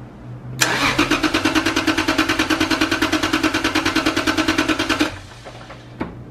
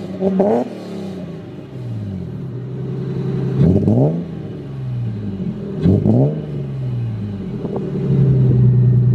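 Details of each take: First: Lexus IS300 with imported engine (claimed 50k miles) and a misfire, hard cold idle; compression test: even starter cranking about three beats per second, no weak beats; dry readings about 150–160 psi, compression good. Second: Lexus IS300 with imported engine claimed at 50k miles, good compression, plugs under 2k miles old: quick revs break up briefly as throttle first opens, then pull cleanly; stumble on initial throttle, suspected misfire, coil packs suspected.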